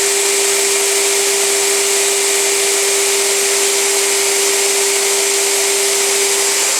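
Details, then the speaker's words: Premiere Mini 175 vacuum motor after its dust-coated internals were cleaned; it sounded rough before. A steady, even roar over a constant hum with no rattle, scrape or wavering. Runs much better, fixed. "Well, that sounds much better than it did before. I think I've fixed it."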